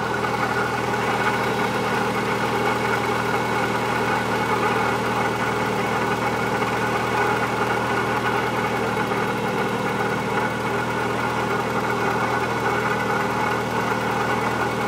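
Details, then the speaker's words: 1997 Eclipse GSX, rebuilt engine, stock T25 turbo, balance shaft belt eliminated, AC belt removed, idling: constant rough grinding hum on the timing belt side that rises with revs, traced to a worn water pump bearing and alternator bearing. "um to me it kind of sounds like some type of bearing that's making that sound for the the grinding that like grinding noise that just constantly kind of sits there it goes up with revs also so it's definitely in the belt"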